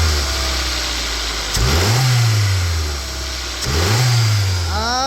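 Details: Petrol/LPG car that hesitated on takeoff and lacked power on hills. After replacing four ignition coils, plugs and wiring, the cable throttle is pulled sharply: the engine idles evenly and blips cleanly twice with no stumble or knock, running normally.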